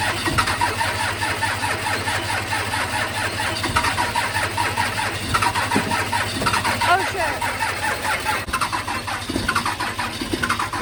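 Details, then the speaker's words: 12V Cummins diesel on a cold morning. Rough, uneven diesel cranks and clatters over a steady low drone, smoking, struggling to start cleanly: hard cold start; cause suspected, not confirmed. "And this is what the diesel does on a cold ass morning. Smoking me out over here. Well, that didn't work very well."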